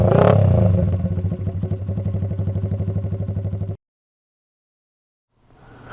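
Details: Restored 1979 Honda XR80 with a D&G big-bore tailpipe, unknown fuel: crisp single-cylinder thump at about three beats a second, blips and settles cleanly before cutting off. Normal running.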